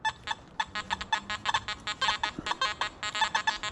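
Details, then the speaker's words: Metal detector (Deus vs Simplex comparison) sweeping a target among iron: a strong, bright high tone of uneven chirps about twice a second keeps coming through, so the target will be dug. "It's still coming through there, right? That high tone is still coming through. So I'm gonna be digging that target up, right?"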